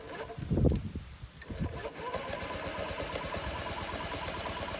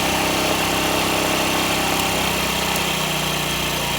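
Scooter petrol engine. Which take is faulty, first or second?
first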